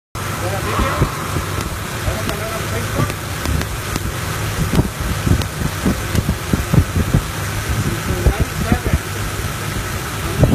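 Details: Toyota Tacoma 2RZ-FE four-cylinder idling with irregular sharp snaps and stumbles: the factory original Sumitomo spark plug wires' insulation has broken down, letting spark cross over into another cylinder, causing a misfire.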